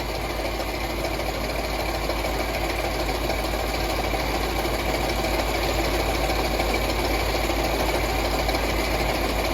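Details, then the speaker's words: Land Rover LR4 idling during a combustion gas (block) test at the coolant: uneven, lumpy pulse under a constant drone, not running well; rough idle, cause not confirmed. "so let's go start it you can hear it's not running too good"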